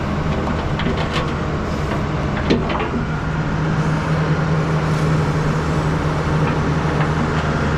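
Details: 2005 John Deere 710G 4WD powershift backhoe, 4,302 hours, idling: steady low diesel rumble with an even hum and no knocks, ticks or misses. A healthy idle.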